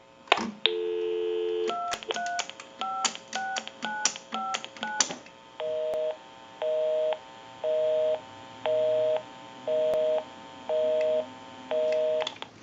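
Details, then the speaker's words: Repaired and converted single-slot payphone at final checkout. Steady dial tone, a quick run of touch-tone digits, then a regular busy signal about once a second from calling a busy number. Normal dial tone and DTMF dialing. "We'll give you some dial tone. We'll call my number and it'll be busy."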